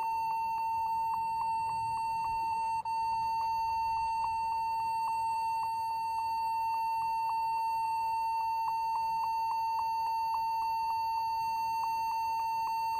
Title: How to Fix beeping sound without changing keyboard !!